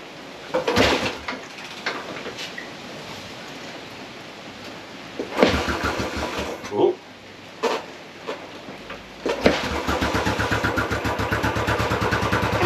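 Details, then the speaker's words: Royal Enfield Classic 500 single-cylinder after fitting a new £43 fuel pump (part 587377/A), no fuel leaking, started in rain; a couple of cranking bursts, then catches into steady thump; normal engine start. "aive we are back in business no fuel spilling out"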